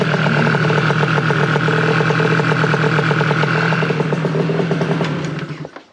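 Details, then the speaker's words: Two-stroke scooter with smart carb, only leaned out slightly: even, steady idle with a smooth, quick putter and no stumbles before switch-off; normal idle. "i'll show you guys how nice these things start and how nice they run and i really haven't i haven't made really any adjustments i've leaned it out a little bit but that's kind of it"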